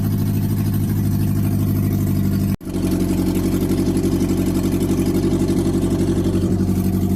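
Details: Toyota Carina after head gasket replacement, second start after reassembly: engine settles into steady, even idle with regular beat and no knocking; sounds healthy at idle.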